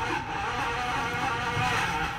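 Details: Twin-tub washing machine being repaired for a rough noise during the wash cycle. The spin dryer side runs normally with a smooth, even whirring hum and no knocks, scraping or wobble.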